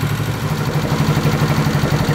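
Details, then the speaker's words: 1970 Honda CB350 that sat for a year, running on fresh gas with the battery charged: even, steady putter at idle with a regular firing beat and no misses or knocks; normal idle. "she's actually sounding pretty good just idling I don't know if it gets much better than that"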